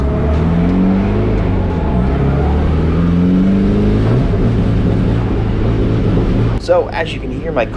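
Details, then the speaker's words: Drift car at a track event: the engine drones low and only wavers a little with throttle, never climbing in pitch, so it won't rev up; a repeat of the previous day's issue that was fine in the pits, cause unconfirmed. "car right now it's not revving up and this is the same issue I was having the day before"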